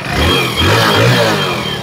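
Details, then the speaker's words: Hero Splendor Plus BS6 motorcycle after full engine rebuild with original parts, started on self-starter: engine picks up cleanly and settles into a smooth even note with no knocking or rattle; sounds like new. "जो engine के sound है एकदम मस्त हो गए हैं"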